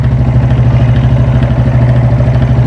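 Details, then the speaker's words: Yamaha Fazer 250 single, noise worse when warm; low, pulsing uneven idle hunting between about 2000 and 1000 rpm, completely out of tune and unstable, before engine teardown and oil drain. "é o motor dela e ela tá completamente desregulada como ela é instável e agora ela tá dando aproximadamente 10000 2000 RPM só que daqui a pouquinho ela baixa para 1000"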